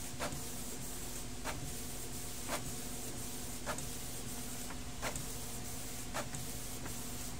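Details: Canon G2010 printer after scanner replacement cleared P22 error: carriage sweeps back and forth about every 1.25 seconds over a smooth feed hum, no gear grinding; mechanism prints normally, though cartridge output problems remain.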